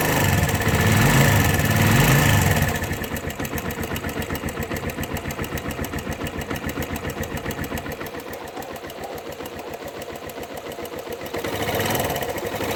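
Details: Suzuki Yes motorcycle with an engine noise the owner can't identify: small single ticking over with a fast, fairly even tapping of about four per second. Source not determined.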